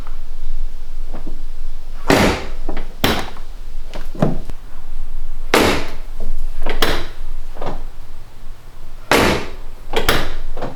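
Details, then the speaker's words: BMW E46 convertible door opened and shut repeatedly after its dry seals were cleaned and treated with Honda seal grease: solid thuds, the seals now mostly quiet with a slight remaining squeak. "And here's the final result. There's a little bit of a squeak."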